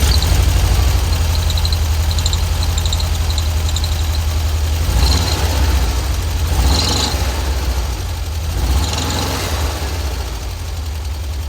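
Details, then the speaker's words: VW Kombi with a very loose timing belt, deflecting 3–4 cm where about 1 cm is specified: rough, lumpy idle with faint high chirps and short swishing bursts; owner suspects the belt is old or just out of adjustment. "a gente já viu aqui né vida que olha a correia tá muito desregulada ela tá muito frouxa"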